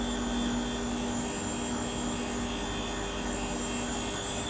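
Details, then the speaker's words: Cosworth engine rebuild, cylinder head valve refacing under a steady flow of cutting oil: a steady high motor whir with a light, even hiss as the stone just begins skimming the valve face. A smooth, light cut. "so we're just going to come in gently you see the valve starting to cut so you're literally just cing it up a bit yeah we're just Tak very light cut off it just just starting to cut there now see you can hear"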